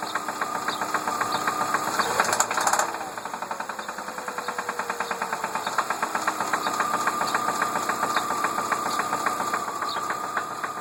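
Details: 2003 Ford Focus at idle: steady fast ticking knock, roughly three to four per second, a rattling knock from inside the engine; cause unknown.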